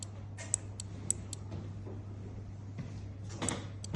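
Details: Two relays switched by a 5 V trigger, each energised by grounding its trigger pin: sharp, distinct clicks spaced irregularly over a low mains hum, each relay snapping in cleanly and switching normally.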